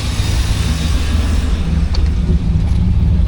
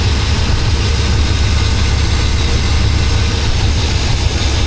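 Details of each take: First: Normal warmed-up idle on a Suburban after replacing cracked, collapsed vacuum lines. It is a low, steady, even rumble with no stumbles and no service engine soon light; a vacuum leak was earlier suspected rather than a misfire. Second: Chevrolet Suburban at idle after collapsed and cracked vacuum lines were replaced: a steady, deep idle with an occasional bog and small speed dips, not a misfire. A vacuum leak is suspected and being checked with carb cleaner; the idle later levels off.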